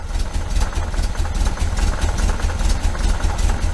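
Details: 1973 VW Super Beetle, 1745cc flat-four on dual Dellorto FRD 34B carbs with a balance tube fitted for testing: steady low thrumming idle, even beat, no misses or hunting; carbs sound balanced.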